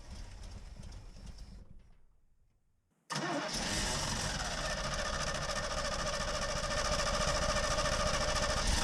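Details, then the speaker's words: 1986 Chevy K20 Custom Deluxe pickup V8, sat for years, with fuel poured down the carb: after long cranking it catches and runs steady; the slow start is from a dry mechanical fuel pump needing re-prime. "On these old trucks, mechanical fuel pumps, they usually don't start very easily if they've been sitting for a long time. So, it took quite a bit of cranking, but eventually the fuel was primed again and it sat."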